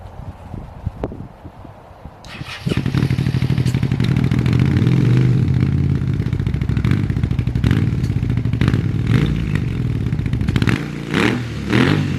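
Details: Abandoned 2001 Suzuki SV650S V-twin after sitting: brief crank catches into lumpy loping beat with some clatter; running again but not yet smooth, still needs work.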